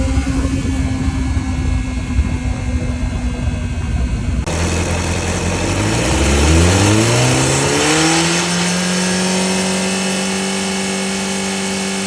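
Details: 2005 Honda CBR600RR: a hissing whir over the idle climbs smoothly with each throttle blip; whirring hissing engine noise, source unclear.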